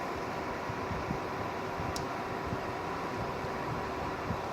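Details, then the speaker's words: GM-1650 mining power supply returned by its client for whistling/humming and not delivering rated output, now running normally: steady, even fan rush with a faint low hum and no whistle. "ну идеально вообще никакого звука ничего"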